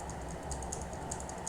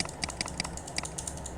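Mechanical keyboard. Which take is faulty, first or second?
second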